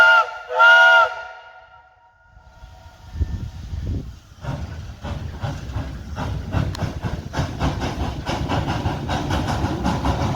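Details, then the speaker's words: J&LNG 58 steam locomotive at full throttle up the hill at 175 psi: a whistle blast, then the chuff builds with unevenly spaced beats, an offbeat exhaust; possibly valve timing rather than packing, not confirmed. "she sounds pretty good but you could still hear that offbeat exhaust they're still in there a little bit"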